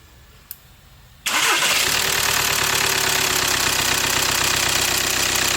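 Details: VW/Audi 2.0 TDI CKRA diesel after replacing failed oil filter housing and oil-swollen coolant hose, coolant slightly overfilled; starter turns briefly, engine catches and settles to even diesel clatter at steady idle, no misses or knocks.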